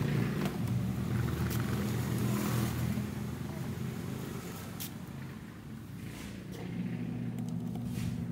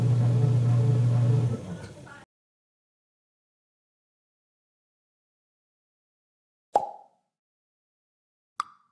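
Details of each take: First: Washing machine running: loud, rough, steady low drone with constant churning while the drum drives; owner complaint of an excessively noisy gear, caused by a worn gear case that needs replacing. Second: Washing machine after replacing the worn gear case: about two seconds of smooth, steady low motor hum with no grinding or clunking; noise gone, normal operation.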